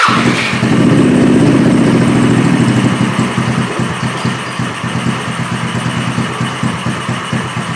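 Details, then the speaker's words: Small engine running on straight Seafoam: it pops unevenly, fading and faltering as it dies out despite tuning; the Seafoam drenches the spark plug without combusting. "and yeah it's super wet I'll put it close up right now and you can see that the spark plug is drenched yeah in the seafoam but it just wasn't combusting"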